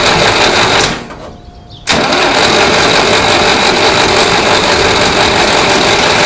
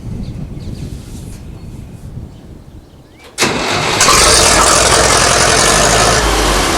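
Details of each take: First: 1960s Massey Ferguson 165 tractor, coolant drained for winter, spark confirmed with a tester: starter churns steadily at about three turns a second with a pause, never catching. Only a little fuel reaches the carburetor; stuck float needle suspected. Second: 1960s Massey Ferguson 165 tractor after refitting a gasket suspected of a vacuum leak: engine cranks, fires promptly and holds a steady, even idle with no stalling or hunting.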